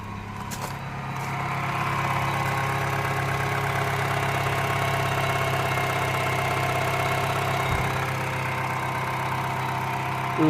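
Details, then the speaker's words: 2007 Mini One R56 with 1.6 engine swapped in place of original 1.4, complaint of shaking and weak idle: after coding/programming, restarted fine with a steady, even idle, revs settling after cold start, no knocks or misses. "so now let's try to start the engine again make sure he starts then off you go engine started just fine"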